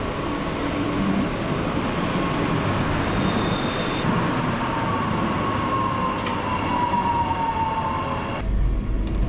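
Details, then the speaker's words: Onboard a Brisbane train (SMU239) near Mitchelton: steady rail rumble with a clear whining tone sliding down in pitch as it slows; odd tonal noise, cause unknown. "I really don't know why. Like extra weird sound. It sounds like the X-Trap."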